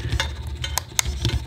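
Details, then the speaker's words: Ascot motorcycle won't start, battery being charged, headlight won't come on: irregular sharp clicks, several in under two seconds, engine never cranks; owner suspects low battery or electrics not charging, not confirmed. "yeah i think i might have a problem with the electric maybe it's not charging but"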